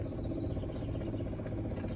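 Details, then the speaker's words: Rebuilt Detroit Diesel 6-71 in a GM bus just before its first start, fuel system primed: a steady, rapid pulsing hum with no engine running. The auxiliary pump was left switched on. "Oh, that's the auxiliary pump is on."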